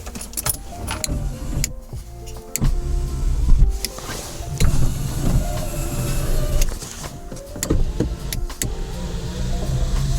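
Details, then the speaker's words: Lada Niva 21214 fitted with a new-type electric window regulator like the Niva Urban/Legend, one regulator connected and tested. A steady whir at even pitch, with no grinding or strain: normal power window operation. "так подключаем один стеклоподъемник и проверяем его работу"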